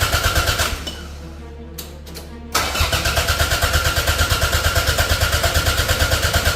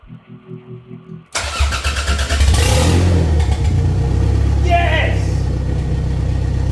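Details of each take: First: Toyota MR2 track build, first start after an engine transplant from a donor, with no coolant in. The starter cranks briskly and evenly, about three turns a second, but it never catches; the owner suspects no spark and a missing earth. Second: Toyota MR2 track build, first start after an engine transplant, after the fuel-pump wire was rewired. The starter cranks in even pulses, then the engine catches into a loud, steady, open-exhaust run. Normal start and idle.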